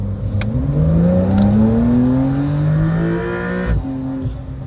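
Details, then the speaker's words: 2024 Porsche 911 Carrera T, flat-six, full-throttle acceleration from inside: smooth engine note rising steadily in pitch with a brief gear change; clean healthy pull. "uh first of all first of all it's not the fastest car in the world but it kind of feels like it like it's a small car but did you hear the sound did you hear that sound man"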